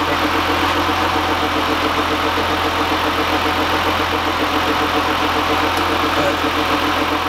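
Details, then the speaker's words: 2015 GMC Sierra at idle, during AC condenser replacement: steady idle with a fast rough ticking knock, about three or four a second; source unclear, seems near one side but may echo, belt-off test planned. "if you take the belt off and start it and see if it still makes noise it sounds like it's coming from over here but it could be echoing over"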